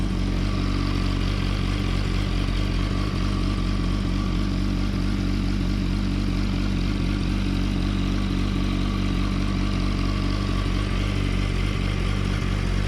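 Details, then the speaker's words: Yamaha R1 (2007–2008) with shimmed, welded slipper clutch springs, recorded close to the clutch: a steady, even idle with a smooth low thrum and no rattle or chatter. The clutch works fine. Normal idle. "No issues there, clutch works fine. Perfectly good, she is good to go."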